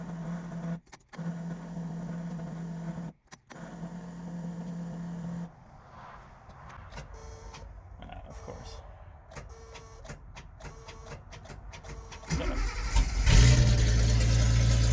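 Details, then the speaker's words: 1976 Datsun 280Z that sat four to five years after its fuel pump failed, now with fuel-system work: a long whirring crank with pauses, then it catches and roars up as fuel reaches the engine on its first start in years. "well here we go one more well that sounds like it's starting to get fuel now"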